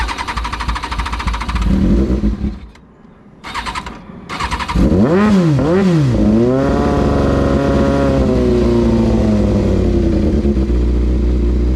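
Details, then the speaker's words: Kawasaki Ninja ZX6R carbureted motorcycle, cold on choke after rebuild: engine catches, revs raggedly up and down, then holds a high, uneven idle; it runs rough when cold. "thing runs like ass whenever it's cold."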